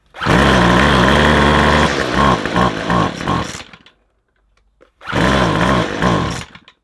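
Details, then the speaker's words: McCulloch 250C XL X-series two-stroke strimmer with a suspected carburettor jet blockage. It runs only on choke, buzzes, then stumbles into uneven pops and dies, restarting briefly. It won't hold revs ("bop, bop, bop") for lack of petrol. Cause suspected, not confirmed. "That sound, when you rev it, it goes bop, bop, bop, and doesn't rev. That means it hasn't got enough petrol."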